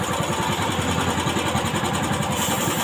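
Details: Old carbureted Honda Beat scooter, after fixing the electric starter that struggled to start it: small single at a steady, even idle with a light tappety top end. Ticking over fine.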